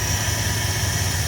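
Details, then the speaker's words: 1978 Dodge D150 Custom truck idling with a working fuel pump: a steady, smooth low idle with an even beat and no knocks, misses or hunting; healthy, may need a little tweaking. "Thing actually runs pretty good. Pretty smooth. Probably good to use a little bit of tweaking, but so far so good."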